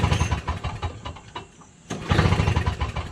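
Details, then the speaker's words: Toro Snow Commander 7HP R-Tek 24-inch single-stage two-stroke snowblower, hot day, 50:1 fuel, primed and choked: bursts of rapid pull-start chuffing, three or four a second, never firing; no spark, magneto to be replaced. "Yep, no spark. Just doesn't even have a sign of starting."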